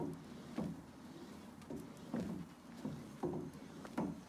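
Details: New True M50 elliptical in use: dull woody knock about once per stride, a little over once a second, felt through the feet; cause unknown.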